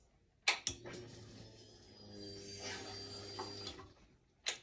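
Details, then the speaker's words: 2011 Yamaha FZ6R after fuel pump replacement for no-prime fault, gasoline added, key-on: quiet steady electric whir about two and a half seconds then cut off; fuel pump priming properly. "I already put gasoline okay so let's see if you can hear the prime"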